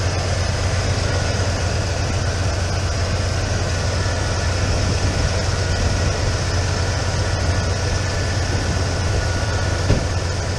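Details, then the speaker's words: 1996 Ford F-150 after the high-idle repair (TPS, throttle body gasket and hose): parked outside while the cooling system bleeds, not yet fully warm, it idles smoothly and steadily at about 950 rpm with no hunting or surging. Proper idle speed. "Alrighty, we got her running. We backed her outside, and it's doing what idling properly now. Proper idle speed."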